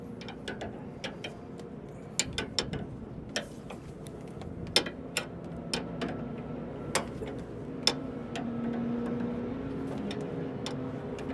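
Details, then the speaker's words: S700 combine concave levelling, rotor spun slowly in reverse while tightening the rear hanger bolt: sharp heavy irregular ticks, elements striking a concave set too tight, to be backed off. "so we hear that tick that's a little too much so we're going to back it off let Lucas keep spinning it"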